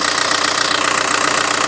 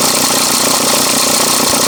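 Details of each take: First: VW Touran MkI 1.9 TDI diesel idle after replacing accessory belt tensioner: even steady diesel clatter, no clanking or belt slap, belt no longer flexing; running smoothly. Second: VW Touran MkI 1.9 TDI diesel idle before belt tensioner replacement: uneven light clatter about three taps a second over engine rumble, belt flexing up and down; worn tensioner, sounded worse earlier.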